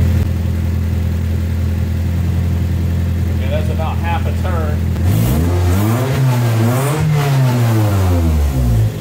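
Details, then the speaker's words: 1988 Toyota MR2 AW11, manual, warm after 12–15 minutes, after turning the idle screw: holds a steady, fast, even idle still over 1100 rpm; a vacuum leak is not thought to be the cause, and further diagnosis is needed. High idle. "I don't think it's a vacuum leak either it's still idling at over 1100. so we're gonna have to go on to further Diagnostics"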